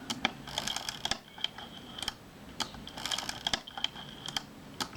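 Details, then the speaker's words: Kodak Retina Ia camera body being reassembled during servicing: film advance turned by hand after refitting the lever and screw, light crisp clicks in uneven bursts with no grinding or catching; advance revolves smoothly, normal. "so I'm just revolving that making sure it revolves smoothly and there's a film advance"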